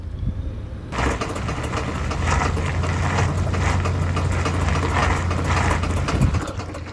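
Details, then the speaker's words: Ford Ranger accelerating while turning in 4-high: engine pulls under load with irregular sharp clicks over the drone. No noise in 2-high and the front axle boots are intact. "whenever I switch to four High and I'm turning and accelerating at the same time will start getting the sound"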